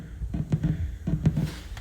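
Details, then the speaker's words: TC Electronic June-60 chorus pedal into a guitar amp: soft, irregular low thumps and pops several each second, persisting despite different cables, power sources, a 9V battery, mono or stereo, and amp distance. "it's not working dude all the popping still keeps happening it really sucks"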